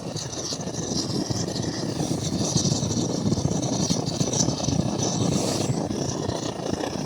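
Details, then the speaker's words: MSR Dragonfly liquid-fuel stove, probably still warm, after priming: steady hissing roar with a slight flutter, no popping or sputter. This is the normal burner noise before turning it up, though the owner thinks it probably needs a service and jet cleaning. "You should have a flame normally, like it is, and then it starts doing that noise. And then when it gets hot enough, you can start turning it up."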